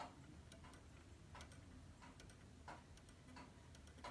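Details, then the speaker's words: Antique pendulum clock after freeing the pendulum that was rubbing on the bottom, possibly needing winding: faint soft ticks about every second and a half, uneven but steady; running freely, normal ticking. "I may have to wind it up. I don't hear it ticking. Okay, now I hear it tick."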